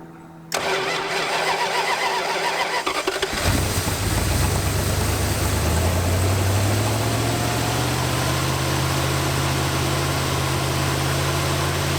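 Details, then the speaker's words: 1986 Dodge Diplomat police car parked 25 years, coolant bubbling at thermostat: long crank before firing, then uneven lumpy idle that never settles while timing is advanced; running poorly, cause not pinned down. "still goofed up yeah let's just advance that real quick [Applause] what is your deal man oh God terrible"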